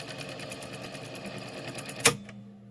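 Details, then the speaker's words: Pioneer CT-F7272 vintage cassette deck, during mechanism restoration, also not rewinding: light transport whir for about two seconds, then a sharp clack and silence; fast forward stops on its own after running briefly. "And fast forwarding, it goes for a bit and then it stops."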